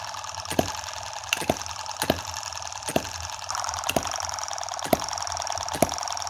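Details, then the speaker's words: Tiny Chinese M17 4-stroke gas hit-and-miss model engine, play reduced with superglue and oil in the hopper instead of water: quiet, evenly spaced soft ticks about once a second with calm coasting, a slow cycle so heat isn't a worry. Normal running. "you hear that beautiful little clicking noise yeah with such a slow hit and miss cycle we're really not going to be worried about heat here"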